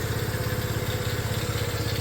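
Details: Restored custom Honda CT90, fuel mixture screw not yet adjusted and an adjustment planned: quick, even thumping putter at a steady low idle with no misses or stumbles; the single idles normally.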